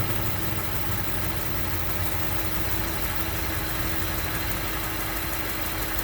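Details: 2008 Range Rover, 169k miles, cold morning start: as idle rpm drops and the fan kicks on, a fast, light tick-tick-tick in step with the engine; cause unclear.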